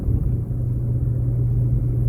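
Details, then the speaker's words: 2003 Pontiac Grand Am on a test drive: steady, smooth low engine rumble while shifting through all gears and climbing a hill with no hesitation, knocks or whine; engine and drivetrain sound healthy. "Shifting through all the gears just flawlessly. I'm going up the hill. It's not even hesitating at all."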